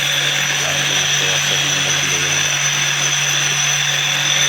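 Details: Mahindra Treo Plus 8 kW EV motor after repair of a noise problem (rotor, bearing and gear concerns), run on test: steady, even electric whine with a smooth gear hum and no knocks or grinding.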